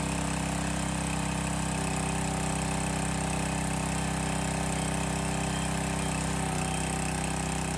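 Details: Landworks 20-ton log splitter small single-cylinder engine restarted after topping off hydraulic reservoir and bleeding air; steady even note with no surging or misfires; normal running.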